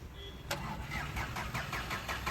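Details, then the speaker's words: VW Polo with gas kit that had shut off and would not start, after the timing was set back to the correct mark and small pipes cleaned and refitted; sharp catch on first crank, then quiet steady idle with no stumble; normal start and idle. "ನೋಡ್ಬೋದು ಒಂದೇ ಶೆಲ್ಫಿಗೆ ಗಾಡಿ start ಆಯಿತು, start ಆಗ್ತಾ ಇರಲಿಲ್ಲ, start ಮಾಡಿದ್ದೀವಿ."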